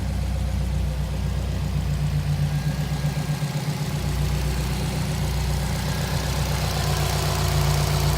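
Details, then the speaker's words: 2005 Subaru Impreza WRX STI, about 45,000 miles, modified, idling: steady even boxer burble with no knocks, puffing or misses; no signs of cracked pistons, blow-by or smoke. "Just to show you, there's no cracked pistons, blow by, any of that stuff. No smoke."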